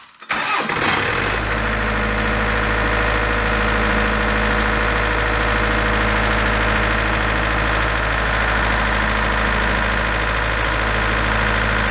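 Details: Large auction-bought diesel generator, engine previously repaired, after adjusting the internal potentiometer to reach 240 V (earlier shut down with a control-panel error after about 10 seconds). Catches after a brief crank, then a smooth even drone with no hunting or misfire.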